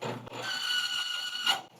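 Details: Bearing load-test rig run dry with no lubricant, as a baseline: a harsh, steady, high-pitched metal screech for about a second, then a sudden stop as the bearing seizes at about 15-16 ft-lb.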